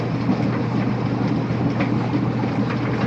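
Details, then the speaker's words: Old Kenmore Series 70 clothes dryer after repair of the roller whose pin was spinning and squeaking, and after the belt was refitted: steady, even low drum rumble with no squeak or chirp. "and as you can now clearly see the squeak is gone the pin is no longer spinning and I can enjoy peace and clad as I dry my clothes"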